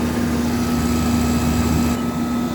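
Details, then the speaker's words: Air conditioner condenser unit after repair, running: smooth, steady compressor hum with an even low drone and fan rush, no rattling, bumping or surging. Normal running. "Sounds good. No rattling, no bumping, no nothing."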